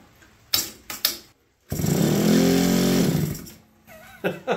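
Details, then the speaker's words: APC mini chopper electric start on a charged Power Wheels battery: a couple of clicks, then a steady two-second whirring crank as the starter-generator spins the engine over strongly; normal cranking. "it's amazing oh the electric start Works did some research this is a motor and Generator it acts as a starter kind of like on a golf cart"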